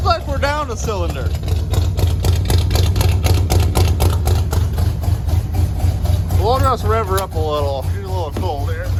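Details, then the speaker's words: 1974 or 1975 International 150 pickup V8, new fuel filters and a temporary race fuel tank, first start: deep, even rumble at idle with no stumbles after clearing out; all eight cylinders now firing, a healthy idle. "clear it out yeah there we go now all eight are firing"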